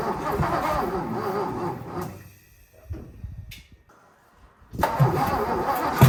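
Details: 1957 Lincoln Premiere: slow, labored cranking in uneven bursts with pauses, never firing. Crank, no start; owner suspects weak battery, weak starter and a stuck, probably bent valve.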